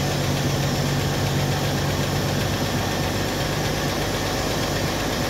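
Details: 1964 Chevrolet Impala convertible (Antwerp-built) inline six, first start after sitting since 1995: steady, low, even idle with no misses or knocks, not too much smoke; normal idle.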